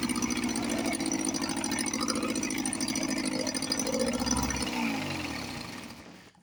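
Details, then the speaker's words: 1954 Johnson 5.5 HP outboard restarted on a heavy oil mix and smoking, after carburetor rebuild; head not too hot. Fast, even two-stroke buzz runs steadily, then revs wind down smoothly to a stop. Normal running. "And uh, another old motor comes back to life. Let me start it up again. I had do have a heavy oil mix."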